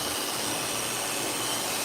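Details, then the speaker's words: Clipper test of a dog-grooming blade whose socket has little free play: a steady high-pitched buzzing hiss at constant speed with no rattle; it runs smooth and not noisy. "So when you put it on, and we'll see if this one makes noise. That one's not bad."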